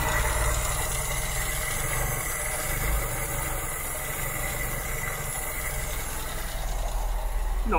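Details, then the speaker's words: 1972 Mk3 Ford Cortina GXL during a tune-up, idle set too low: a steady, slow tick-over with light PCV-valve ticking over a low rumble, just before the idle is raised with a long flat-blade screwdriver. "i get the flat blade i'll just knock up that tick over the one hand"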